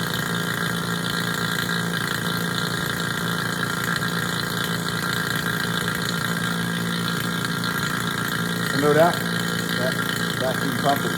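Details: HVAC vacuum pump switched on and pulling down on a micron gauge (target at least 500 microns): even, steady mechanical drone without surging or grinding; pump running normally and good to go.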